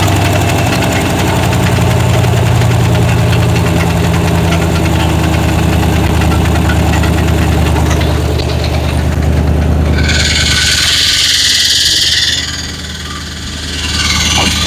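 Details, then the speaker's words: 1970 Chevy C10 with a 1998 5.7 Vortec 350 and 700R4: even, steady V8 burble at idle on all eight cylinders with a faint puffing tick from a small exhaust leak; otherwise runs smoothly. "A little bit of an exhaust leak, but not bad. It's actually running real nice."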